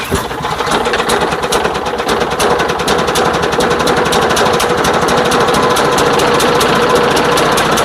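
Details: Craftsman lawn mower that the customer said doesn't start, with fresh fuel and oil checked, starting but firing choppy and uneven at about 3.5 beats per second with a harsh rattle, sounding choked. The air filter was found soaked in gasoline and the pre-filter in poor shape.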